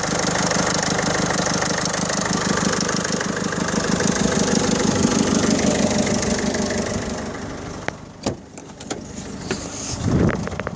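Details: 2007 Peugeot 307 SW 1.6 HDi 90 with DPF: diesel idles with a coarse even clatter about three a second, buzzy like a lawnmower, before shutoff; abnormal engine noise, cause unknown.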